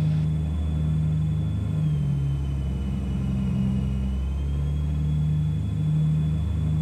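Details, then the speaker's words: Tecnam P2012 Traveller twin with Lycoming engines running an automatic pre-flight run-up check of leaning, magnetos and systems on both engines: steady low drone with brief pitch dips as each check runs; smooth, healthy run-up. "And now it started the pre-flight check. You will hear that now for example it's leaning. You will hear the magnetos check. It will do its own things and check all of the systems of both engines."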